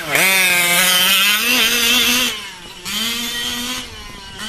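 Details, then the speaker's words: Brand-new OBR 34 reed SS two-stroke engine in a 5B race-kit RC buggy, cold in cool weather: a high, slightly blubbery buzz with wavering revs as it runs rich on top, starting to clear as it warms. "sounds a little fat right now but we'll let it warm up [Music] brand new mad maxes she does sound a little rich on top the weather is nice but it's still cool"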